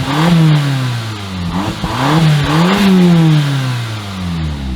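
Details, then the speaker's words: 2015 Audi TTS from a rollover, after a locksmith programmed the key and with the oil pan hole temporarily patched: the engine revs up and settles back several times with a clean, even note and no knocks. It is a healthy engine that now runs without shutting off. "And check this out. It runs and it doesn't shut off."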